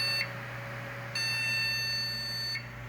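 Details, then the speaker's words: Desktop PC at power-on with no video signal: high, shrill repeating sequence of four startup beeps over a low fan hum, a memory error code; RAM not recognised, faulty module or slot, try another RAM. "este tipo de fallo particularmente viene en la memoria ram ya no sirve o porque el slot donde está colocado la memoria ram tiene un fallo"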